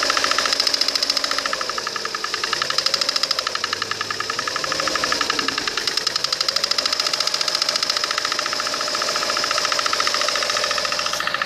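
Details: Lada Kalina 1.4 16-valve engine: a fast, regular ticking knock of about three to four per second over the running engine. It gets louder or disappears depending on which way the timing-belt cover is shifted, from 30 seconds in.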